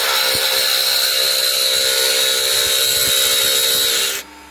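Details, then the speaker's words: Salvaged universal washing-machine motor on a homemade drum sander with speed regulator, torque test under load: high steady whine with coarse brushy hiss holding pitch, then stops; motor holds its torque. "voilà en tout cas visiblement visiblement ça tient le couple"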